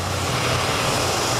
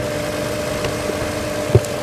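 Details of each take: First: 2022 Toyota Avalon idling steady but dull with a slightly uneven low beat; cylinder 5 misfire detected plus a rough-idle code; the throttle is found dirty. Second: 2022 Toyota Avalon after repair of a cylinder 5 misfire code; smooth, even idle with a steady low hum and no misses or ticking; the misfire is gone and the engine is running right.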